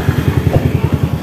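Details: Honda Wave 100 motorcycle at idle, reported as noisy: quick steady low thumping about eight beats a second with a slight clattery edge; louder than it should be, cause unknown.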